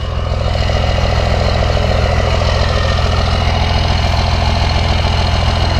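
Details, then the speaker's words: 1994 Cummins P-pump diesel, timing and fueling turned up, warm idle after a 22-degree cold start: deep steady clatter, even with no surges; only smokes and struggles to burn fuel when cold, runs clean warmed up. "really nothing it's just it's just when it's cold you know it's you can't uh can't burn the fuel we got no heat"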